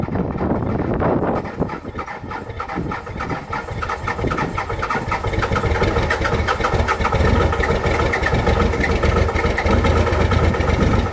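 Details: Cummins diesel cold start in freezing weather with grid heaters disconnected, camera at rear of truck: lumpy, uneven clatter settling after starting, engine clearly not happy; rough cold idle without grid heaters.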